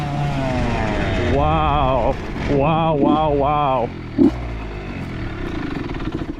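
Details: Honda CR80 two-stroke with Keihin PWK 28 carb, about 60°F, after replacing a spark plug the owner thinks was oil-fouled: crisp blips rise sharply and drop back without stumbling. Running good now, though possibly lean.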